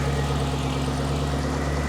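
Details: Ford GT idling after its first start following the repair: steady smooth drone with an even pulse and no ticking, misses or hunting. No fuel rail leaks and no engine lights, a healthy idle.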